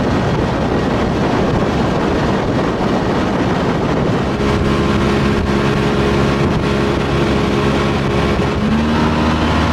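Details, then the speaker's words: Old outboard running on the water after a new fuel line, primer bulb and fuel pump fixed its stalling and bogging: steady, even drone holding speed with no hesitation, under some wind rush. Running cleanly; the fault was the fuel pump. "got my water no hesitation she sounds good baby my problem it's the fuel pump"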